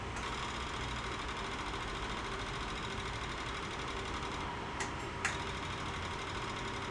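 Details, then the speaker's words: Yamaha Virago 1100 after a carb float and bowl-gasket service, priming on a battery: the electric fuel pump ticks rapidly and evenly over a quiet hum as it fills the float bowls. This is normal, and the clicking should stop once they are full. "Eventually, that clicking should stop."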